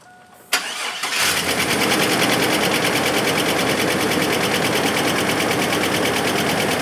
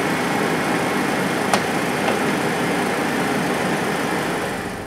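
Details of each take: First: Chevy S10 engine cranks, catches and idles with a fast, steady metallic ticking that has worsened over time. The owner first thought it was an exhaust leak but doubts it; a motor flush is planned. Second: Junk Chevrolet S10 engine after a GUNK motor flush and oil change that drained very heavy sludge from the oil pan: steady, smooth idle with the earlier tick gone and no engine noise.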